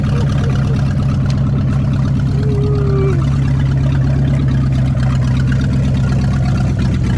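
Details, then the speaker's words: 1959 Ford Galaxie Fairlane 500, 352 V8, first start in years with open exhaust: loud uneven loping idle; carburetor flooding, raw gas pouring out past the butterfly, gas also leaking on both sides. "oh my goodness look at that back look at the back it's just flooding gas out it's coming out this uh butterfly"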